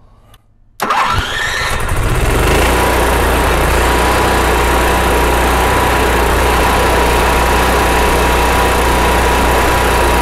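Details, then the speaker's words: RV generator after main jet and float bowl cleaning for surging, fuel pump primed: cranks briefly, catches and settles to steady even idle without surging; sounds better than before. "okay well not bad for a first time and it already sounds better than it did before we started"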